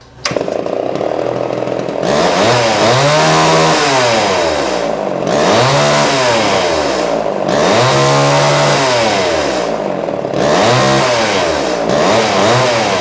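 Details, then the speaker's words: Vintage Homelite XL-12 chainsaw after full refurbishment: new rings, gaskets, carb kit, fuel line/filter, ignition coil, clutch, muffler, 20-inch bar, Oregon chain; crisp two-stroke snarl revving up and down, clean pickup, steady idle; normal running. "Turned out to be a really great saw."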